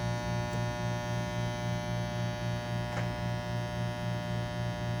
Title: Low buzzing/humming noise after pulling a shot - New open Refurb by Breville Bambino Plus